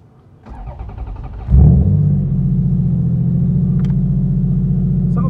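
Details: Supercharged Toyota 3MZ-FE V6 swapped into a Celica, first start after installing GM knock sensors: cranks briefly, catches with a rev flare, settles into an even, steady idle with no knocks or misses; no check engine light.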